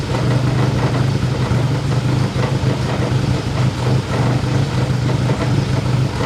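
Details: Honda K24-swapped BMW E30 at first start; steady but shaky idle with an uneven, stumbling low beat about three times a second that sounds like a misfire; owner plans to replace the injectors, cause not confirmed.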